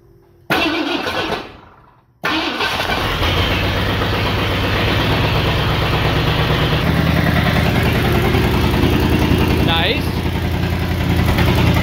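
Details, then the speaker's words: 1978 Ford F100 V8 revived, charging at 13.2 V and running on some bad gas: the starter cranks briefly and the engine catches into a steady, even idle with no misses or knocks. "okay okay fan blowing actually runs pretty good even with a a little bit of bad gas in it"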